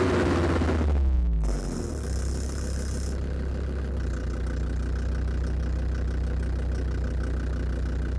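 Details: Land Rover Defender TD5 diesel at low idle, with the mic at the snorkel air intake. A regular knock about four per second rides on the rumble. It was noticed after radiator work and is louder than before; the most likely suspect is faulty hydraulic lifters, unconfirmed.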